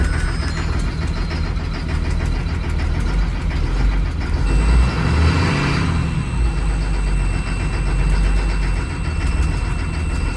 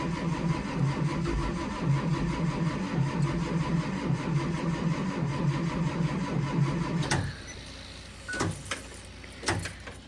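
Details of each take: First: 2004 Blue Bird Vision bus, 7.2L Caterpillar C7 210 HP diesel, cold start at 23°F after jump start: deep steady rumble settling into an even idle, no misses or knocks; normal cold idle. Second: Diesel school bus, cold start at 23°F: starter churns engine steadily for about seven seconds without firing; slight white smoke as injection pump builds pressure; cranks but will not start yet.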